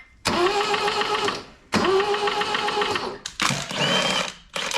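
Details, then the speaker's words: 1974 Toyota Celica GT, long-sitting, reportedly freshly rebuilt, cranked plugs out with good compression and oil on the dipstick: three cranking bursts with fast metallic chatter, the timing chain tensioner rattling before oil pumps it up. "oh all that noise is is the timing chain tensioner it's cuz it didn't pump up with oil yet"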